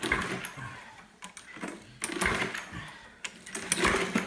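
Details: Discarded lawnmower with no compression from a lost valve spring retainer, after fitting a substitute retainer: repeated rattling pull-cord bursts fading without catching; turns over but won't start, owner suspects bad gas, later starts on one more pull.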